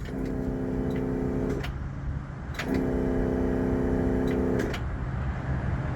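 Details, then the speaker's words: 2016 Isuzu NPR box truck no-start: two key attempts, each a steady electric whir of about two seconds, engine never catches; customer and a friend believe it's the starter, to be replaced. "kind of hit a um standstill but the customers talked to one of his buddies and they swear it's the starter"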